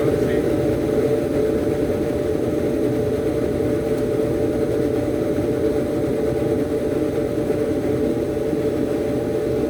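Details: Samsung dryer after repair (it previously hummed but the drum would not tumble), run with the lid lock held manually: a steady, even motor hum with the drum turning freely, then winding down. This is normal operation.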